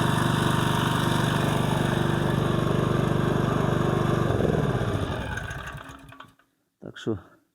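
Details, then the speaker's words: Older, reportedly German-made generator after the run-only-on-choke fault was traced to small carburetor seals, with intake valve clearance also slightly increased. Steady even hum with a smooth firing beat for about four seconds, then a clean wind-down and stop. "Проблема була все-таки в карбюраторі цих манжетиках малесеньких"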